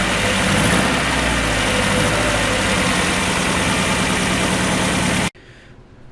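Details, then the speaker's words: 1994 Mazda Miata after timing belt and water pump replacement: idle is uneven with irregular stumbles breaking the rhythm; the misfire turned out to be another vacuum leak. "the misfiring problem that I had turned out to be a vac another vacuum leak but we'll fix that in just a moment"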